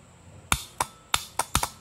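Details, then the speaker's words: Tractor starter solenoid bench-tested on negative ground before positive-ground conversion: six crisp sharp clicks in about a second; works normally, but reversed polarity only arcs because of an internal diode to be removed. "i've got this uh solenoid here and you can see uh if i attach the negative here works perfectly you can hear it clicking"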